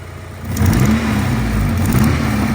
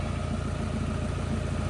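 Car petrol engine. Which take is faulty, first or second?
first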